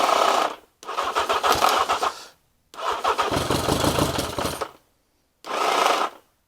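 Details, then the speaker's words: Carbureted engine, starter motor tested fine off a battery: three short cranking bursts with a rough gritty grind, no catch; starter grinding, owner suspects a chewed cog where the starter joins the engine. "I don't think it's that I think it's where it's actually joining onto the engine obviously when it's running it doesn't run that so it's fine but that can't be healthy I think there's a chewed Cog somewhere"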